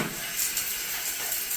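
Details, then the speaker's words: Sink drain after pulling out the collected debris, no trap work needed: steady hiss of water running straight down with no gurgle or backing up; drain flows freely. "See? See that? Not a problem."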